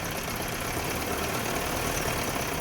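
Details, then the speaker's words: BMW E30 M10 engine, misfire persisting after valve clearance check (good); fuel normal, plugs blackened. Rough uneven idle with irregular knocking pulses, shaky note, won't rev. Misfire. "Kanan bensin normalik gasnya ini berebut nih. Oh, getar sekali ini."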